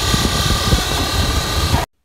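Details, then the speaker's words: 2004 Dodge Ram 1500, engine running: rough hum with a gritty constant whir and felt vibration from the alternator; with belt off the alternator doesn't spin freely, bad bearing. "The vibration's not good. When I took the belt off and spun it, it doesn't spin freely. Sounds pretty bad."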